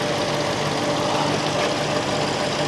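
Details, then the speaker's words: Cadillac DTS auction car at idle, started without a jump: even, steady idle hum with no skips, ticks or knocks, not misfiring, oil clean and no blowby seen; runs like a top, a normal healthy idle. "Oh, this is nice. It runs like a top, guys."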